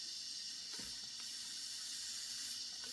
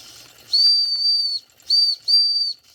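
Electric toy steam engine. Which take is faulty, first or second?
first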